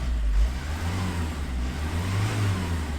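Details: 2010 Renault Mégane 1.9 dCi diesel after a P0090 crank-no-start: smooth, even short blip with a clean note and no stumble; healthy.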